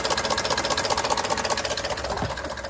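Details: 2019 Ford F-150 5.0L idling with a steady fast knock about ten a second and tinny top end, despite new OEM timing components, phasers, actuators and solenoids; cause not pinned down.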